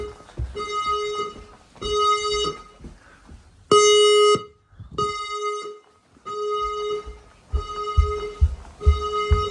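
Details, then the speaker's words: Newly installed F220 house fire alarm system, set off by a smoke test on a detector. Two-tone bursts about every 1.5 seconds from the speakers with a voice message: evacuate the building using the nearest fire exit. Evacuation tone sounding as it should. "Evacuate the building using the nearest fire exit. Evacuate the building using the nearest fire exit."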